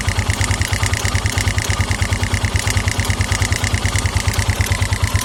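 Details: 2009 KTM EXC 450 single-cylinder at idle: a regular clack about three times a second, thought to be the cam chain tensioner, plus an irregular tinny tick that sometimes stalls the engine. It fades with throttle; oil level checked, cause unknown.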